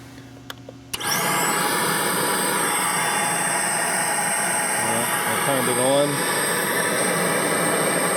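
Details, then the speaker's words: 2002 GMC Sonoma 2.2L with P0410 code and blown air pump fuse, powered via jumper wire with 30 A circuit breaker: secondary air pump kicks on and holds a steady, even whir with no catching; pump runs normally. "the pump runs. So, it may just be that simple."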